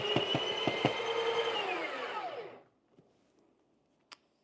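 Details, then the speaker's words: Breville Barista Pro/Express built-in grinder grinding an 18 g dose of very light roast beans: loud whirring whose pitch sags and winds down; burrs labouring on hard light-roast beans. "you hear that is a light row so you can Grinders a little struggling"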